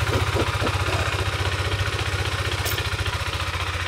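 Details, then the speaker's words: Motorcycle after track-day crash with bent side stand mount and misaligned side stand sensor, idling in neutral: steady even low thump around 220 per minute, no misses or knocks; runs cleanly. "Starts right up as though nothing happened."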